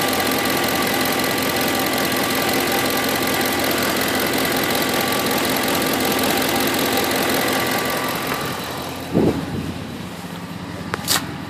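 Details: 2008 Ford F-150 5.4 V8 at idle, noise started about a week ago: a light, fast tick roughly three per second under a hissy running note; cause not identified.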